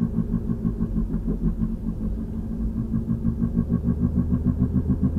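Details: 2003 VW Passat FWD, 180,000 miles, driving: a steady boom-boom thump whose rate rises with speed and changes when steering. The owner suspects the passenger front wheel; that axle boot is torn. Cause unconfirmed.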